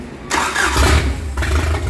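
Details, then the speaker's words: Rebuilt Mercruiser 3.0L in a 2006 boat, after oil-pressure loss, first start after priming: short crank, then it catches at once and settles into a smooth, even idle. "Wow. That was cool. They usually don't just fire up immediately like that. That's pretty impressive. Nice and smooth."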